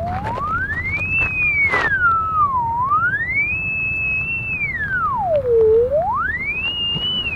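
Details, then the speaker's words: SubSurface PLVF-10 pipe and cable locator doing a blind sweep: a clear electronic tone glides up and down, spiking high directly over an already-marked buried gas line, which is the easy one to find. "all right as I move in you can see I'm really spiking in sound when I'm on top of this gas line here that one's the easy one though"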